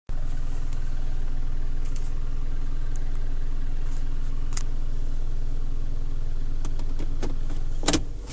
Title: Rav4 08 knocking / rattling noise